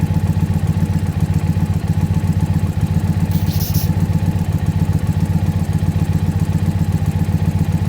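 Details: Warmed-up Indian Pursuit V-twin idling during a throttle body sync check as the second gauge valve is adjusted: steady, even idle with regular lumpy pulses and no knocks or rattles; healthy.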